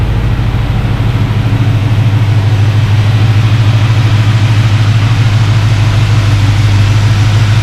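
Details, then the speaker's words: Project car on first fire-up after build, warm at 190°F with 190 thermostat, 60–65 psi oil pressure, low fuel, clutch not yet connected: deep, even idle with steady pulse, no tapping, knocking or stumbling; healthy. "awesome beautiful sound pretty cool pretty cool"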